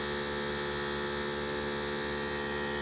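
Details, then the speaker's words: Harbor Freight 12 V 150 PSI portable air compressor inflating a 31x10.50 Jeep tire, reaching 26 psi in about three and a half minutes. Constant buzzing hum with a fast, even pump rhythm, not overly noisy; normal running. "she's still going that's not overly noisy"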